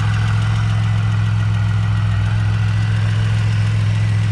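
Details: Supercharged Bonneville SSEi after a new L67 swap with ZZP VS cam, intercooler and ported M90, before tuning. Deep, steady, even idle with no stumbling or surging; smoother than the old engine, though a tapping, possibly valvetrain or accessory, is noticed.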